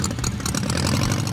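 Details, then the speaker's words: Custom cartoon-inspired dune buggy with a blown (supercharged) VW flat-four mounted behind the driver: deep, steady, throbbing engine note with an even beat, no knocks or rattles; normal supercharged engine running cleanly. "You're in this little shell with this roaring engine behind you and it feels like [music] a race car."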